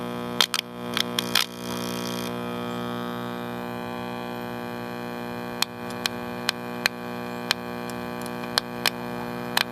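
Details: AirCastle 5050 All American Five tube AM radio, with a weak 35C5 tube, gives a steady low mains buzz with layered tones, scattered crackles and weak output.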